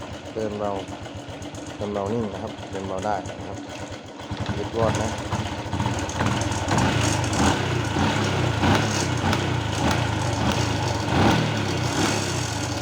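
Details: Honda Wave 110i brought in for hard starting and stumbling, after new spark plug fitted: small single settles into even idle, revs up and drops back cleanly with no stumble or cutting out; normal idle and revving.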